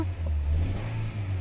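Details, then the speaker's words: 2008 Honda City PGM-FI automatic, no fault codes: under load in reverse the low note stumbles and dips unevenly; severe misfire persists despite no fault code. "Palyado. Oh. Nande, okay lang. Palyadong malala."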